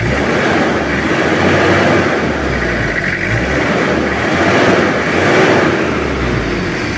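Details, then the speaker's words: Kijang 2L diesel after an engine rebuild for oil burning and final retiming and adjustment: steady, even idle clatter with no knocks, misses or hunting. The engine runs smoothly, back to normal standard. "udah kita setting lagi untuk mesinnya jadi Alhamdulillah suaranya normal dan juga standar lagi kembali normal"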